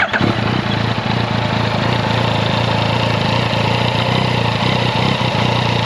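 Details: Yamaha XSR900 CP3 triple idling in neutral, clutch not pulled, before adjustment: busy, uneven light rattling over a lumpy idle, louder than with clutch pulled; cam chain noise common to CP3, fixed by adjusting the tensioner with a 3 mm hex.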